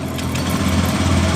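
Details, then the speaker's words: 2015 Honda Beat ESP scooter whose electric starter was totally dead, only clicking: after cleaning and refitting the magneto-side part, the engine starts and idles smoothly with a steady low hum, no knocks or misses. "jadi seperti ini motor hidup dengan normal"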